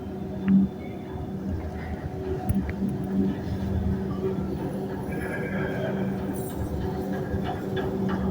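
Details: Elevator at Nathan Hale Gardens, noisy while moving: a constant low hum with scattered knocks and rattles throughout travel; cause unclear.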